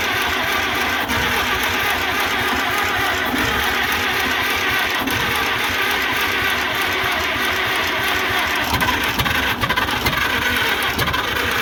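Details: International Harvester McCormick 64 pull-type antique combine, old four-cylinder engine started after storage with clean carburetor and working needle and seat: runs steady and even with oil pressure, no knocks, misses or rattles; normal running.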